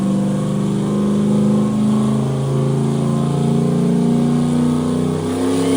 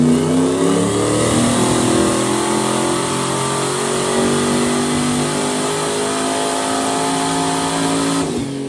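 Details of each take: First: Turbo Corvette "Ruby" on Ignite E90 moonshine ethanol, run number 2, 30% more fuel, no timing added: strong even roar holding steady pitch through the full-throttle pull, no misses, knocks or stumbles; normal full-throttle run, running clean. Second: Turbocharged 427 Corvette on moonshine, dyno pull without boost controller: engine climbs hard at full throttle, then the note turns ragged and flat near the top before lifting; bogging, suspected fuel starvation or weak fuel pump.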